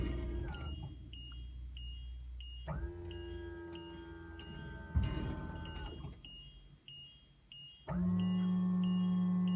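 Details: 2007 Itasca Suncruiser 35L motorhome parked sloped to the right, auto-leveling jacks: steady pump drone starting and stopping under a run of short repeated chirps, an odd alarm-like noise of unknown cause.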